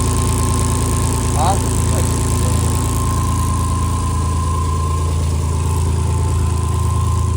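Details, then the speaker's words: Rock-crawling buggy V8 just reinstalled after the old motor blew, firing up for the first time: steady idle with a quick, sharp tick over the exhaust note and oil on the header wrap; exhaust leak, the header needs tightening again. "It sounds like you got an exhaust leak. Yeah, I have to tighten it up again."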